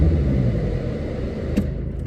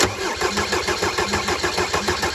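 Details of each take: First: Mercedes 190 (W201) ran badly and wouldn't start after its vacuum lines were reconnected the wrong way round. With the lines swapped back it starts on the button, giving a low, even diesel rumble with no stumbling. Normal idle after the fix. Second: Mercedes 190D W201 diesel, after stainless fuel line replacement, injector cracked off to bleed air, cold weather: steady starter cranking about three and a half compressions a second, never catches; air in fuel system, bleeding until fuel appears.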